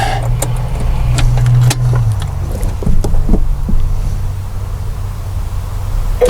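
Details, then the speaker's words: Mercury 390 Ford FE V8 with the air cleaner off, after sitting 15 years: a low, lumpy, loping idle with faint ticking; unfiltered power brake booster diaphragm rotted, vacuum leak leaning the mixture, risking burnt no. 4 and 5 valves. "that's a definite leak right in here it's just sucking right past the uh power brake booster so what it's doing is it's introducing air through here and leaning out my mixture"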